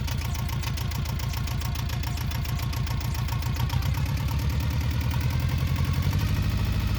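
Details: Yanmar 2GM diesel engine that starts knocking and jumping violently after running a while, throttle being varied: a heavy, regular knock about three to four beats a second over a deep rumble.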